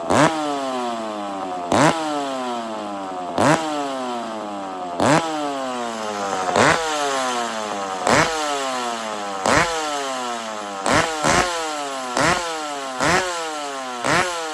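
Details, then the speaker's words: McCulloch chainsaw warming up after a starting trick: blipped about every second and a half, revs rising sharply and settling smoothly, blowing smoke as it warms; healthy two-stroke, normal warm-up running. "So, did you guys hear how the saw kind of how it got warm? Blew all the smoke. This is a crazy saw, friends."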